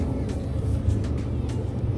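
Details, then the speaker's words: 2008 GE Profile gas dryer DPGT650GHWW after two years' lint cleaning: smooth, even low rumble of the drum with a steady burner hum after the flame ignites, no knocks or squeals; running normally. "but you should be able to hear the flame kicking in yep kicked in hear the flame going so she's working"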